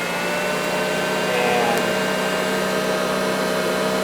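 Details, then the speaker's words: Early-1950s Eureka two-speed automatic upright vacuum, running on low speed: a smooth, steady motor hum with a soft whir, a "very sweet purr," no rattles or scraping; the motor runs healthy. "But as you hear, it's got a very sweet purr to it. Just very well proportioned."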